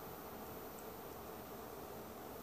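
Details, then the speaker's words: ViewSonic Pro8200 projector, ceiling mounted, after 7 minutes the lamp shuts off but the cooling fan keeps running with a soft airy whoosh and faint hum, no menu response; suspected short, not a bulb issue; stays on after lamp shuts off. "and it's still turned on it's just the bulb that has quit projecting an image but you can hear the fan there and and it's still on"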